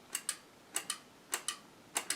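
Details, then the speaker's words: Cheetah Mach 1 vintage joystick for ZX Spectrum Next after repair of the faulty right-hand microswitch by swapping in one from another stick; crisp paired press-and-release clicks matching the other directions — normal microswitch click. "That's because I was able to repair it. See, it sounds just like the other four directions."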